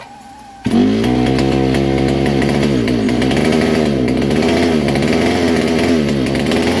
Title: vintage kart. All original 1961 Fox Kart, McCullough Mac 91. First start in years